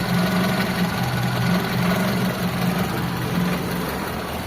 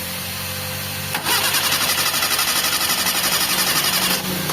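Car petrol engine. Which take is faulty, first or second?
second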